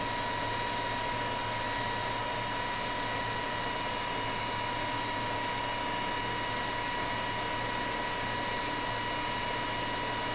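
Constant thin whine over a quiet, even hiss for the whole run, with no roughness or stumbling; the inverter drives the motor cleanly.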